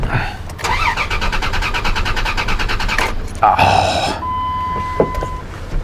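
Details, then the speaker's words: Dodge Dakota no start; starter turns engine over steadily with no firing, scan tool losing communication during crank, raw fuel smell; no fuel pressure. "it's not good when it gives you a no comm during a crank."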